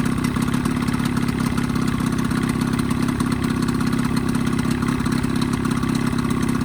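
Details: Evinrude 20hp outboard modified to 25hp two-stroke, after a full service with new primer seals, reeds, thermostat and gaskets: steady, even two-stroke burble at idle with no stumbles or knocks; running smoothly.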